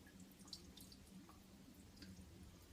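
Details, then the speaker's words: Toilet tank that keeps leaking down, with the flapper already replaced: quiet, irregular drips and a faint trickle in a small room. Owner suspects the seal under the tank or a too-small flap; cause unconfirmed. "I replaced it the flap on it and it still has the leaking sound so I don't know the seal underneath the to hear it me it might have to replace it"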